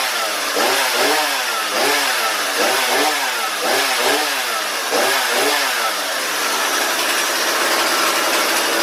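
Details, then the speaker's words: Husqvarna 235/240 chainsaw after complete carb rebuild, new fuel lines and filter; crisp two-stroke buzz blipping then holding steady: runs cleanly, normal running. "part three will be tuning the carburetors first it sounded pretty good"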